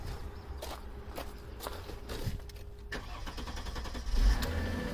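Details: 2003 Mercedes-Benz E-Class 3.2L, previously crank-no-start, being started with current clamp on the fuel pump: pump hums and a few clicks sound, then the engine catches cleanly and settles into an even idle.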